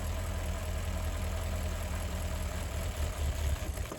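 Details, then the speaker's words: 2013 Porsche Cayenne Turbo 958 V8, 84k miles, at idle with the electric fuel pump fuse pulled to bleed fuel pressure before replacing the high-pressure fuel pump; the even idle wavers and roughens as fuel starves, stumbling before it stalls after about 10 seconds. "That stops the electric fuel pump, and you'll hear in a moment here the engine is going to end up stalling on us. So that should decrease the amount of pressure so we lose less fuel. And here it's starting to stumble already."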